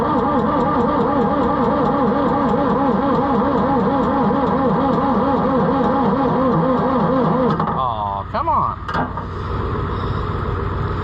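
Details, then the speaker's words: Oliver 1355 tractor diesel cranking steadily about eight seconds with no firing, after a new fuel pump and bleeding air from the injection pump. No fuel reaches the injectors; the owner suspects a bad pump or a stuck rack. "all right any fuel yet nothing starting to lose Faith friends maybe our pump is no good after all even if it's not in time it should still Pump Fuel"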